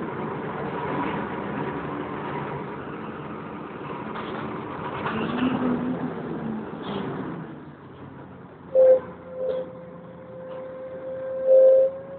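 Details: Wright Renown diesel bus 60833 (W766 HBT) rumbling along on the move; sharp steady mid-pitch squeal cuts in twice, sounding like a tyre burnout, from the cooling fan area.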